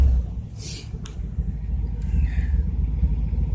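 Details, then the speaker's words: Cold start: deep, loud rumbling exhaust with an uneven throb at idle; stock mufflers burned out and no catalytic converter, just a clamped-in pipe in its place. "that's stock Mufflers on this car they're just that worn out that burned out it has no catalytic converter didn't have one when I got it"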